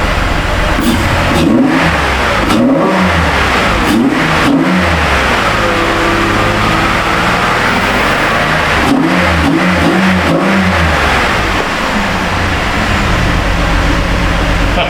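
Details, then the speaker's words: Chevy Impala that sat for two years, first run after a body control module replacement: it revs up and down with an uneven, stumbling note and ragged puffs and smells of leaking fuel; live data shows cylinder 5 misfiring. "it sounds like it's misfire feels like it's misfire smells like it's leaking gas"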